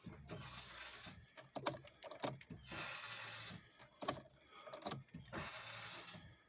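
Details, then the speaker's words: VW Golf MK4 1.9 TDI PD130 wagon, new fuel lift pump just fitted, tank very low on fuel: three short electric buzzes of about a second each with gaps as the pump primes, some air possibly still in the lines; normal priming. "priming it a few times sounds like there's still a bit of air in there but it is very low on fuel"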